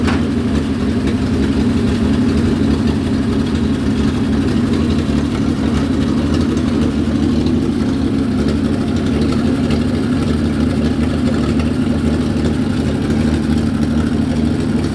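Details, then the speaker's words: Datsun 240Z with junkyard replacement engine, idling a few minutes: rough lumpy idle for about fifteen seconds then shuts off; one carburettor has no suction, front cylinders not firing, one cylinder at 180 compression, cause unknown. "If I put my hand over this carburetor, I got no suction. If I put it over this one, I got a ton of suction. Why is it only sucking out of one carb? That's so weird. These front cylinders aren't firing."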